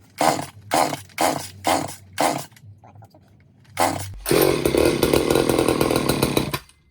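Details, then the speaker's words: Old Craftsman chainsaw found in trash; first start after Walbro carb clean/rebuild and new fuel lines, jets opened further, half choke: five pull-cord strokes, then fires and holds a rough, busy rev while burning old oil out the exhaust indoors; normal running. "Starting. Sweet. Burning off a lot of old crappy oil in there in the exhaust."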